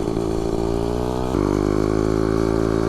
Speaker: at the clutch guys it's not engaging oh my god that sounds so bad